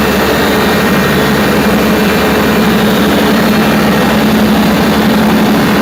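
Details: Perkins 4012 diesel after general overhaul, pre-lubricated before start, during load testing; loud even drone under steady load with no knocks, misses or hunting, running healthy.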